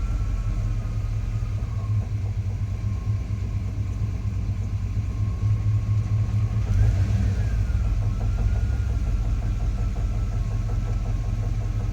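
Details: 1988 Chevrolet C1500 manual transmission on an inclined driveway makes a faint, loose knock about twice a second as the clutch is almost fully out. It stops with the clutch pedal in and is absent when revving or driving.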